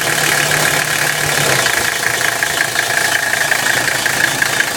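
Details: 1985 Mercedes-Benz 300CD turbodiesel: harsh pulsing rasp about three beats a second over a low drone that drops away. The strange grinding is loudest around 1,500 rpm and barely heard above that; cause unknown.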